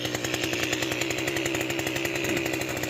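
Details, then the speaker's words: Mantis tiller two-stroke after carburetor and fuel line cleaning, first run in years: fast, raspy buzz with a steady crackle and the tines turning; idle set too high, fixed by backing off the idle screw. "actually idling way too high. So what we're going to do is idle this down so these tines stop moving a little bit."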